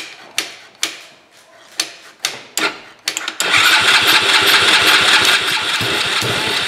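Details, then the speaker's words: Tao Tao four-wheeler that hadn't run in a couple of seasons, with a missing wiring loom replaced. Slow cranking strokes, then it catches and holds a fast, busy run that never drops back to idle; high idle, suspected from something stuck in the carburetor. "something ain't right because that shouldn't have it should have not idled that fast it should went back down so something ain't good"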